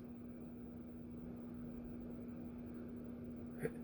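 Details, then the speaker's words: SMC 24k gold plated ceiling fan model KC52 on test rig turned down near lowest speed: low steady single-pitch motor hum, borderline between silent and bedroom quiet, no ticking or scraping; normal motor hum. "Okay, so there's a little bit of a hum. You heard the sound cut out there. Yeah. There's a little bit of a hum, but it wasn't enough to notice."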